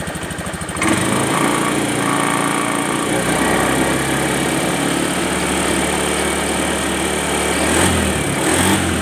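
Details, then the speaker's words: Honda Beat FI scooter after light overhaul, engine refitted after blue smoke from late oil change/oil starvation damaged piston: starts and holds a smooth, even buzzy drone with slight speed rises, no knocks or rattles; running fine. "Oke, motor sudah hidup, Guys, ya. Oke, ini motornya sudah hidup."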